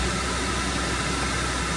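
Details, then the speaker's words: Classic Mopar Dodge pickup with newly installed aftermarket air conditioning, blower turned up while testing the mode controller: steady, even rush of air with low hum, no rattles or squeal; normal blower airflow. "So, if I can turn this up real quick, we should be able to hear it."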